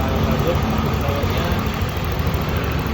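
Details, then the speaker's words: Honda Vario 125 LED after overheating repairs: radiator circulation restored and a worn, loose bearing replaced, which had caused an earlier ticking. Now a steady, even, fairly smooth idle with no ticking. "ini adalah suara mesinnya lumayan halus ya"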